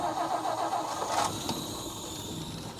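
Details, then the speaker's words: 1959 Meteor, 223 engine, left sitting in the bush, fuel pump suspected not working: brief cranking, catches within about a second without throttle and settles into smooth even idle; normal start. "Look at that. I did not even touch the throttle. It just fired right up."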